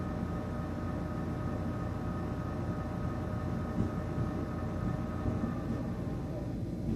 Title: THE CPU FAN WAS GETTING LOUD NOISE AND VIBRATING